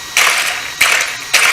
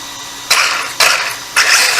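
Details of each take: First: WL Toys 12428 RC desert truck fitted with a Twin Hammer 1/10 rear axle, given three short throttle blips: a high electric whir with rattling clicks as the driveshaft, at too steep an angle, jumps around; the angle needs adjusting. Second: RC desert truck (WL 12428) with twin hammer rear axle fitted: electric motor whirs in short throttle bursts and gear noise rises and falls without clatter; driveline runs, though the driveshaft is noted to jump around and its angle needs adjusting.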